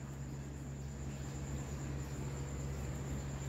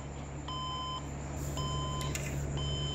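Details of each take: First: Desktop computer that gave four beeps and no display, now booting after reseating RAM in slot and fixing dust and overheating; steady fan hum, faint high whine, no beeps, Windows loading; normal boot. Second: Desktop PC won't display: repeating groups of four short high beeps over steady fan hum at power-on; RAM swap didn't help; suspected dust, overheating or power supply connector, not confirmed.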